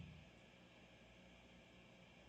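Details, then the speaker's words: Guitar amp at full volume, guitar volume off, shielded cable: faint even hiss with slight low hum underneath, no crackle or buzz; normal acceptable amp white noise. "obviously that's the white noise from the amp when I turned all the way up"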